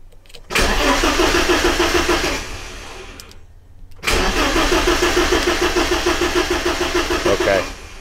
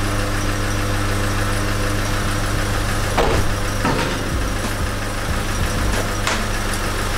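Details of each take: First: BMW E30 316, M40 engine, restarted after about 18 months with fresh fuel: two spells of steady starter cranking at about three turns a second with no firing; fuel pump heard running when cranking; cranks but won't start. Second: BMW E30 316 with the M40 petrol engine, first start after about 18 months, once the fuel pump was confirmed running: catches and settles into a steady, even low idle with a few throttle blips.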